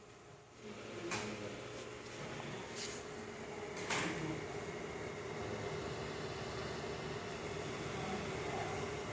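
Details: iMac before repair, with a non-compatible hard drive and a modified temperature sensor: constant loud airy rush with low hum, a few clicks over it; fans pinned at full speed, fixed by fitting an Apple-verified drive.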